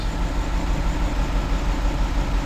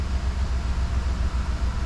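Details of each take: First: 2011 Chevy Tahoe with white exhaust smoke, injector 3 control circuit and misfire codes: rough, lumpy idle with a recurring stumble in the exhaust beat; cylinder 3 dead, injector or ECM fault suspected. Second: 2011 Chevy Tahoe V8 after repair of white exhaust smoke and misfire, exhaust still full of fuel; steady, even low idle with no misses or knocks, crank relearn still to be done.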